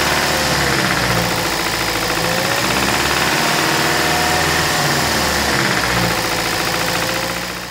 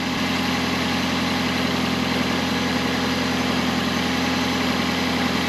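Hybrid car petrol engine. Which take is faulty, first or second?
first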